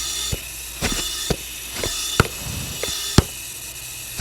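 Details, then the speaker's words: BMW E92 335i N54 engine, leak-down test with cylinder at top dead center on low pressure: steady hiss of air escaping past the piston rings with handling clicks; big leak, probably a broken ring land, confirming a bottom-end problem. "so we have a big leak going past the piston rings which is probably a broken ring land it's kind of what we suspected"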